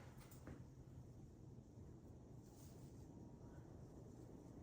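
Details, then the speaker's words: 2000 Hunter Original 52-inch 5-blade USA-made ceiling fan, weathered brick, on medium (nearly like high): low steady whoosh moving air, no knocks or wobble; normal running. "Here's medium. Medium is kind of like high. You"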